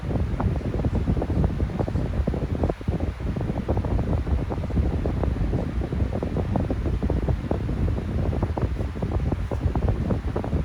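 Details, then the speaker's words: Non-branded 12-inch fan with motor bearing problems (oiled before, improved, then came back): a startup sound, then a steady fan whoosh with an irregular ticking rattle from the worn, dry motor bearings. "It does have somewhat of a startup sound. Kind of hard to hear it because the bearings are jacked up."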